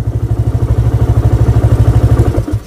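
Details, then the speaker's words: Running motorcycle with its fuse pulled as an anti-theft trick: steady thumping idle at about twelve pulses a second, then the engine dies abruptly as the fuse is removed. "Jadi ini caranya cukup praktis. Cukup kita lepaskan saja pada bagian sekringnya. Ini posisi motornya hidup ya, saya lepas"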